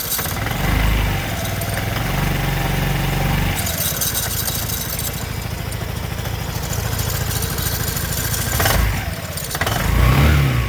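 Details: 2008 Vespa GTS 250 i.e. scooter: uneven rough grinding over the single-cylinder idle that swells when revved; source unidentified.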